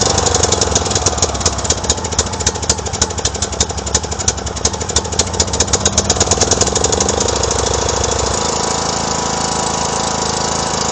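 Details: 2009 John Deere LA105 lawn tractor with 42" deck, bought cheap at a yard sale: an uneven, lumpy single-cylinder beat with irregular pulses, running rough; the engine needs a tune-up, fuel system service and a new air filter.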